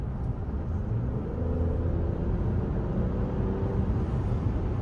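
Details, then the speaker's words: Toyota Camry just back from the dealer after a long engine issue. A low, even rumble with no ticking or rattle, and the owner says it is now so smooth it feels like a different car: normal running after repair. "yeah that's it's so smooth now it feels like a completely different car now"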